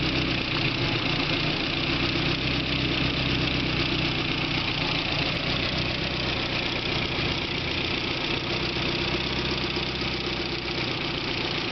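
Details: BMW E30 M3 S14 petrol four-cylinder idling steadily with a fast, light ticking running under the engine note.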